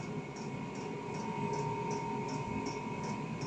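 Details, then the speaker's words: KROAK TB2 8 kW 12 V diesel heater in a workshop: crisp, even ticks about two or three a second over a steady fan hum, the pump delivering fuel from tank to combustion chamber; normal dosing pump ticking. "Ihr hört im Hintergrund immer noch dieses Klacken. Das ist die Pumpe. Die Pumpe befördert den Treibstoff vom Tank in die Verbrennungskammer."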